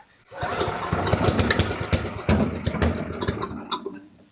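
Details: Coleman Powermate 6250 generator, Tecumseh 10 hp engine, curb find, started on choke after fuel system and carburetor work; catches after brief crank, then runs ragged with uneven popping and no settled idle; cause not confirmed, valves suspected.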